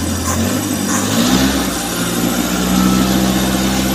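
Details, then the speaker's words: Suzuki Futura T120SS carburetor that won't hold idle: revved above about 2000 rpm, coarse, uneven spray note with rising pitch instead of a smooth pull; carb lean on the idle (stasioner) circuit. "biasanya dengar suara nyemprot di karburator saat digas kira-kira RPM di atas 2000 ee terdengar suara semprot nyemprotnya kurang halus jadi agak agak kasar"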